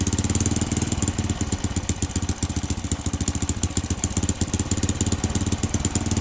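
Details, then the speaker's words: Honda Supra-family small single, standard conventional carburetor with air screw set 2.5 turns out, idling fast with quick, even pops and a steady beat; idle too high, idle screw to be turned down. "Nah, ini kalau posisi ini kan semakin RPM tinggi yang gak enak."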